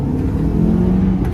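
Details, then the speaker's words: Honda Element with manual transmission just installed and a new clutch at 260,000 miles: steady, smooth low rumble under acceleration with no whine, grind or clunk; gearbox healthy, all five gears work and it isn't loud. "first gear second gear it's not loud third fourth fifth gear got all five gears again that makes me plenty happy"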